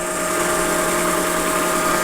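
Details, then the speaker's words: LGB G-scale model train locomotive motor/gearbox, flipped over and powered by alligator clips at 21.5 volts with no load: fast, even high-pitched whir, no knocks or rubbing; healthy free-spinning motor. "Yeah, I mean, I don't have a tachometer on me, but man, that thing's cranking fast."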